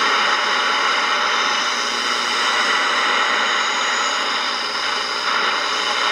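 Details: Ross RE-1207 radio after re-cap and repair: steady hiss and crackle with only faint tones between stations, poor AM reception picking up only two weak stations around five o'clock.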